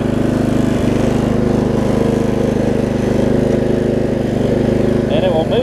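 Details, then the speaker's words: Lowe's riding mower after a new carburetor with the low-side jet drilled out, an hour after cutting: steady, even engine beat at constant speed with no misses or surging; normal running, much better. "the new carbon had to drill out the ten thousands on the low side jet but you hear it's running a lot better now"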